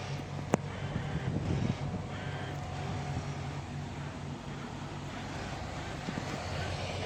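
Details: VW Golf VI Variant 1.2 TSI with a faint, steady low buzz holding one pitch under wind noise over a quiet engine; buzzing, source unclear.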